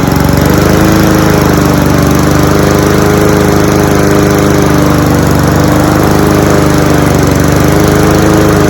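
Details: Cub Cadet SC-700H four-wheel-drive mower, Honda GCV 190 engine, outdoors in snow on November 13 after sitting unused: steady, even drone with constant beat, no misses or knocks; running normally before fuel is shut off for winter storage.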